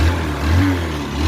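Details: Honda Passion motorcycle whose cylinder bore failed by 16,000 km: revs rise and fall with a rough, loose, hollow engine note, alongside heavy exhaust smoke and an abnormal engine sound. The finding is a worn cylinder bore.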